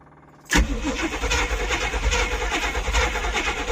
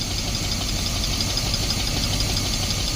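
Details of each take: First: 1972 Barth motorhome sitting for 15 years, first start attempt: steady starter churn for about five seconds with no firing, suspected no spark; it fired up after a distributor cap and coil from another vehicle were fitted. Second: 1972 Barth motorhome, after 15 years sitting, running after a new fuel filter and clamps replaced the leaking one. Fuel flowing in, engine holds a steady idle on its own, even low rumble with some hiss: normal idle.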